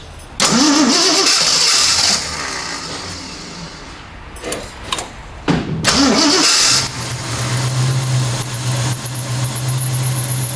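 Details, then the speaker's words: 1979 AMC Spirit AMX, 304 V8, just after carburetor swap; cranks, fills bowls, catches and idles steadily with a thin high squeal riding over it — belt squeak. "yeah it's got a belt squeak how about that"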